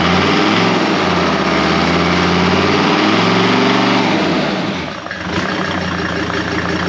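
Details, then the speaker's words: Freshly rebuilt Mercedes OM605 turbo diesel swapped into a Volvo C304, first start after machined head with resealed valves: catches and holds a smooth, even idle clatter, dips briefly and recovers; sounds healthy. "Gez, it sounds nice. Yeah, sounds really nice."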